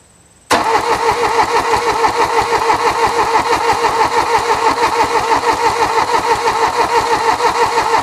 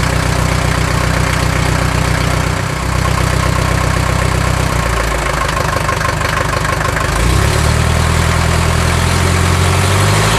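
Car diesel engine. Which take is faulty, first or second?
first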